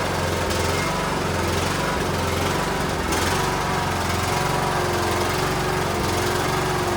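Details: Cub Cadet LTX1040 small single-cylinder engine after carburetor removal and leaking gasket fix, fuel now reaching filter; holds a steady, even beat with constant pitch and no misfire, running normally.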